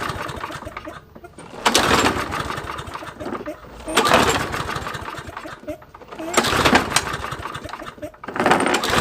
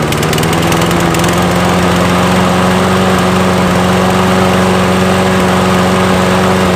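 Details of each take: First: Toro mower with Briggs & Stratton engine, oil topped up with SAE 30; five pull-starts about every two and a half seconds, each a brief chuffing burst that dies at once; no fuel reaching the carburetor: cranks but no start, fuel starvation. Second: Nearly new Toro mower after repair, ethanol-free fuel, air filter reinstalled, electric start: steady, even drone at constant speed without surging or knocks; running healthy.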